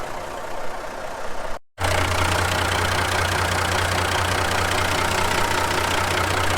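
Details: 1970 Kaiser M-813 5-ton military truck, just after its first start in over 10 years on new batteries. After a short gap, a deep, even diesel idle settles in with a steady low throb and no knocks or misses. A healthy idle.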